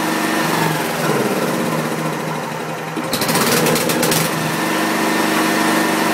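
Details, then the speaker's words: 1985/1986 Wisconsin Robin EY27W single-cylinder engine on a welder, fresh gas and oil level checked: chugs unevenly with revs wandering up and down and keeps doing it; engine hunting, cause not clear. "and yes I just shut it off it'll just keep doing that"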